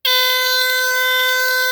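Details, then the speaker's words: Rare early Dicon 200 ionization smoke detector (SM2B, no LED), cover off; harsh buzzy steady horn starts instantly without pulsing, not sounding as it should; owner suspects the battery. "Could be the battery. It's not supposed to sound like that, I don't think."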